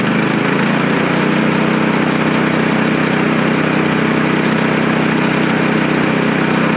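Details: Frontier OS23 portable sawmill's small single-cylinder petrol engine, warmed up after half-choke start, after a bearing repair for a saw blade that was spinning off: steady, even drone with no knocking, rattling or hunting; running normally.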